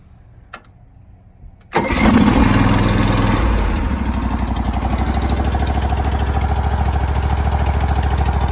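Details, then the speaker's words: John Deere 318 tractor with swapped-in Briggs Vanguard 23hp engine, engine covers on, relatively cold start with a little choke though sitting in sun: short crank catches quickly, settles to steady even thumping idle, no knocks or misses; normal cold start. "so a little bit of choke even though it's sitting here in the Sun it's not warm it's a so a relatively cold start"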